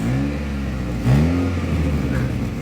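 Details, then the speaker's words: Loud, deep booming exhaust drone that swells sharply with revs on a Honda City; the middle exhaust resonator has rotted through completely and the silencer was also hit from underneath, so it is being replaced. "ये जो बहुत ज्यादा loud आवाज आ रही है गाड़ी के silencer की ये इस साइलेंसर की ये Honda City गाड़ी है। ये इसकी जो मिडिल वाला रेजोनेटर है ये गल गया है। पूरी तरह से गला है।"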